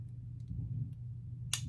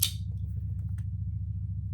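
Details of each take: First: Pietta Colt 1860 Army revolver with a broken hammer cam, before repair, being pulled to half cock. A soft click, then a sharp snap as the bolt springs up and locks the cylinder. It fails to hold half cock, which hampers loading, though it can still fire. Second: Pietta Colt 1860 Army revolver after fitting a new hammer to fix a broken cam, in a function test. The trigger is pulled from full cock and the hammer drops with one crisp snap. Normal release, working exactly as it should.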